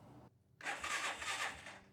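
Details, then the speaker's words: 1985 Suzuki Quadrunner ATV with a new, properly charged battery: a short, uneven burst of cranking that fades without firing. Engine turns over but won't start. "Even with the new battery installed, the proper charge level, and everything seeming like it was correct, we could not get this thing to start."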